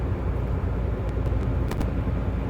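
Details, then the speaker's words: Nissan Maxima driving with a deep steady rumble and faint knocks, owner reported knocking; worn front hub wheel bearing to be replaced. "driving it now guess what yep you guessed it it's not it's making a noise but we're gonna fix it"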